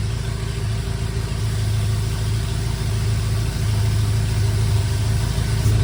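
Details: BMW E70 X5M with twin-turbo S63 V8, first start after a full engine rebuild; deep, steady rumble running smooth and even with no knocks or ticks, sounding healthy.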